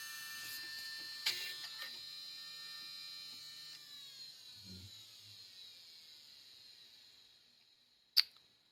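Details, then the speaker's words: Early-2000s JVC HR-DVS2 S-VHS/miniDV combo, miniDV cassette inserted: thin high whine slowly sagging in pitch, a few sharp clicks, no tape running. Abnormal head drum noise; owner suspects a head-area part, unconfirmed. "c'est marrant les têtes elles font un bruit bizarre"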